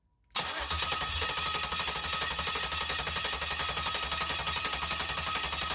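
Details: 1969 Camaro, old engine, started with fuel sprayed into the intake and a crank device: catches within a second and runs with a steady even beat, no misses or knocks.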